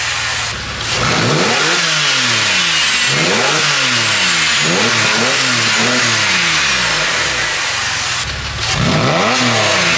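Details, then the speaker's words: Porsche 996 flat-six after retrofitting a Spyder Performance valved sports exhaust, replacing a silencer-delete pipe, after cold start and warm-up with valves open: clean, crisp revs, rasp growing fuller; sounds better than straight-through pipe. "wow that sounds absolutely fantastic when they're open it sounds better than it did when it was just straight through pipe"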